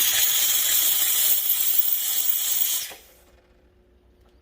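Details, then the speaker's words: DeLonghi ECP3420 espresso machine, steam wand purged after the light turns green, before steaming milk: strong even high hiss for about three seconds, then a faint hum; normal purge. "Shoot out a little bit of steam. It cleans out the wine."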